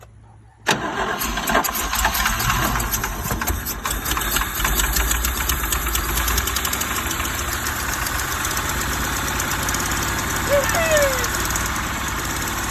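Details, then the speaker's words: 1977 GMC 6500 truck with 366 big block, cold after about 20 years sitting, smoking heavily from ATF in the cylinders: catches sharply, then runs with an uneven, lumpy, hunting rumble that barely holds idle; rough running after long storage. "well she's definitely a runner she idles a little bit smokes a lot from all that atf that we dump down in it"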